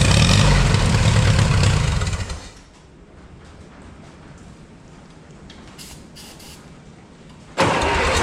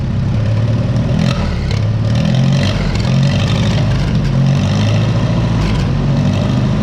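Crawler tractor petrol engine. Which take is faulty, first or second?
first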